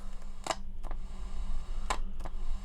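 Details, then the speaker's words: 1979 Sanyo M7700LG mini boombox on a bench supply drawing 70 mA: sharp irregular pops and clicks over hiss and a faint hum from one speaker. Owner suspects a very crackly volume pot; cause not confirmed. "very crackly volume pot I'm getting a little bit of crackling the speaker on this side"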